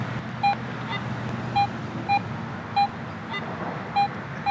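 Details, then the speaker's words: Garrett AT Pro metal detector after automatic ground balance, with the coil passed over a target chip. It gives a clean mid-pitch beep about once a second with no ground chatter and shows an 8-inch depth. Clean target response. "i'm not getting that ground reaction i've got good clean huntable you know situation here where i'm not picking up the ground so let's go back over this chip again"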